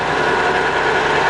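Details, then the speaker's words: Colchester Mascot 1600 centre lathe, 2000 mm, spindle at 48 RPM; coolant pump not running, no fluid. Steady, even mechanical whir with a light fast patter and no knocks or grinding: normal low-speed spindle run. "I've got it in a 48 RPM, so pretty low."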